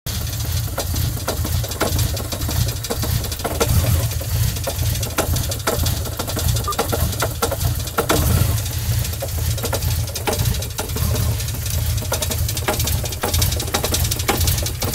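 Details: MK3 Supra engine rough idling with a heavy steady low knock and shaking; suspected spun engine bearing with whole bottom end worn out, needing replacement or swap; unconfirmed.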